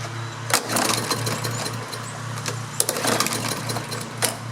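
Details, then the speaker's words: Briggs & Stratton lawn mower with plastic carburetor, sat outside a couple of years with brown old fuel, runs unevenly with pops and surges over a thin hum only on starting fluid; fuel starvation from a clogged carburetor needing cleaning. "I'm going to put some fresh gas in it that's brown not good sure could use a clean in here mercy so I think I need to pop the carburetor off clean that real quick"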